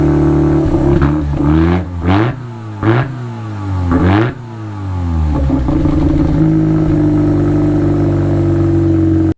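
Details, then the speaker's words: Wankel rotary-engined Willys Jeep after welding in an Aero TR20 resonator with exhaust wrap: several quick blips rising and falling, then smooth buzzy idle; revs cleanly with tamed exhaust note. "that's the after sound. Now let's do them side by side, before the resonator and after."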